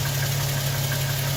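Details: 2007 Toyota Tacoma TRD Sport 4.0 L 1GR-FE V6 with 239,000 miles idling; dull knock underneath a low, steady idle, unchanged since 180,000 miles; owner suspects piston slap.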